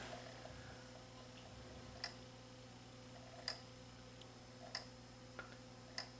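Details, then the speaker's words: Sony CDP-CE305 five-disc CD changer: quiet motor hum with sharp isolated ticks every second or so as laser seeks and fails to read track 9 of 13; other tracks play; suspected dirt on disc. "we actually may have a problem with this this disc has got 13 tracks on it when i got to track number nine it does not want to go"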